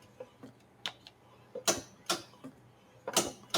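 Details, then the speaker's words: Metal lathe micro switch after cleaning and refitting: crisp clean single clicks at irregular intervals, no rattle; working perfectly, easy fix done. "And you can hear that working perfectly. Job done. Happy days."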